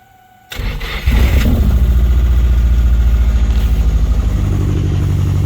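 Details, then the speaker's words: Nissan S14 240SX SR20DET, just fitted with FiveO 750cc injectors, no tune yet. Cranks and catches, then settles into a lumpy, uneven idle with a wavering beat. Far too rich to run properly; owner doubts SAFC tuning can fix it. "all right injectors are installed they're clearly too rich to run the car properly"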